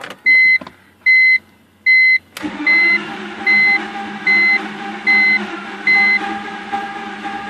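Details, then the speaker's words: BMW E46 in cold weather, cranking with starter fluid and full throttle, with spark and a charged battery: warning chimes, then the engine nearly catches weakly without running. Excess fuel from a brief run the day before washed the cylinders, leaving low compression. "The result is slightly different. Like it almost started that time."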